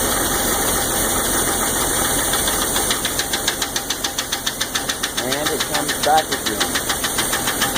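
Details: 1999 Jeep 4.0 at idle: sharp, light constant tick about twice per second; noise stops briefly when pressure applied on #5 exhaust valve; owner unsure whether lifter collapsed or stuck, or piston slap.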